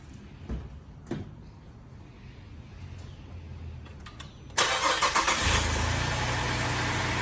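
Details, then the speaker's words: Holden VZ Adventra Alloytec V6, after replacing faulty ignition coil found by disconnecting coils one at a time: a few clicks, then engine starts and holds a smooth, even idle, misfire gone; normal idle. "Looks to have done the trick. Pretty good if you ask me."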